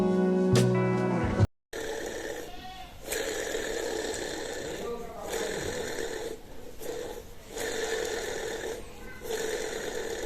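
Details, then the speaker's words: Air conditioner indoor unit fan motor, opened up and run: rough, gravelly whirr with steady hum and rhythmic wavering; the motor bearing has gone bad. "now I open this motor all the way actually there is a sound in the bearing of the motor the bearing has gone bad"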